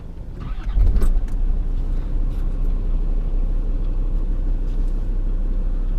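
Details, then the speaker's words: Land Rover Discovery TD5 diesel after replacing the injector harness and cleaning the ECU to cure a misfire: it catches with a brief rev, then settles to a steady, even idle with no miss. "that does seem a lot smoother so let's take out for road test and see how its driving."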